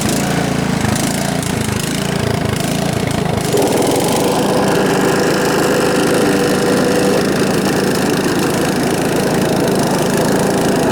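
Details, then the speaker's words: John Deere STX38 riding mower with a Kohler Command engine, unused since last year, on a battery bought last year. It cranks, catches and runs harsh and unusually loud because the muffler has come disconnected. "the exhaust the muffler itself has uh come disconnected so it either needs to be repaired or replaced or or drive it really loud"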